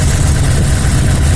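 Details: 2010 Dodge Ram with a cylinder 4 misfire at idle: deep, uneven, stumbling beat as one cylinder drops out, its injector getting no signal because rodents chewed the injector control wiring.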